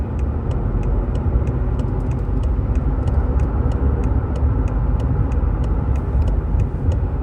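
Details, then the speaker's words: 2019 BMW 530 (G30) after engine replacement following a coolant leak from the oil filter housing, on road test: steady, even engine drone under road noise with light regular ticking, no knocks or misses, no codes; normal running. "we have completed our road test and as you can hear engine is Sting beautiful run like a jamp"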